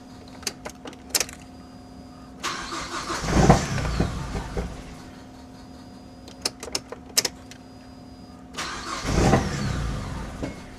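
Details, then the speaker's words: Mazdaspeed 3, not run for six years, old fuel still in tank; starter cranks in bursts with ticking between attempts before catching into rough idle. Long crank before first start after storage. "Took a while, but holy 6 years."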